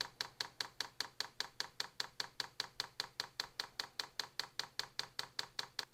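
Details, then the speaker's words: New Vevor diesel heater before its first start, manual priming by holding the controller's left and right arrows: sharp, even fuel pump ticking about 2.5 per second with nothing behind it. Normal priming. "All you have to do is hit the left and the right arrow at the same time and hold them down. We're now priming the system at this point,"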